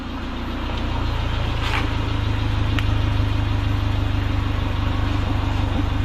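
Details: Honda CRX, Spec-D catback with added Vibrant 2.25in muffler and bottleneck resonator welded before the axle-back: even, steady idle with a smooth low exhaust burble and regular pulse; the engine and exhaust sound healthy.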